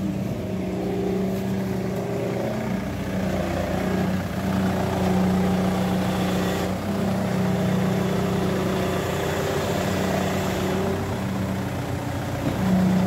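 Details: Ford Mondeo engine idling with a steady droning whine that holds pitch throughout, from a faulty power steering pump.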